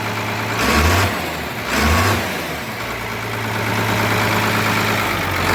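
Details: Diesel with a fuelling issue, idling with a slightly lumpy, uneven beat and a couple of blips, not sitting flat. Cause unconfirmed; it may be sent off.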